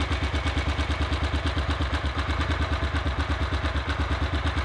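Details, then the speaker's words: Single-cylinder motorcycle idle after first-time valve adjustment: even, quick thumping rhythm with only light mechanical clatter, valve tapping no longer prominent; normal idle, clearance possibly still slightly high. "that sounds a lot better though it sounds a lot better i'm not going flat like really loudly"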